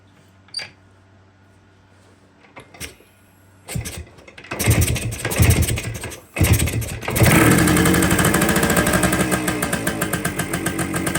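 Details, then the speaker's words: 1973 Kawasaki 175 two-stroke stored since the mid-80s, cold start: it crackles to life, then holds a fast, busy buzz instead of dropping to idle. Owner suspects a worn carburetor mounting boot and a slow-returning slide with a faulty throttle cable. "And when I had it running, it started the rev started kind of getting away from me again."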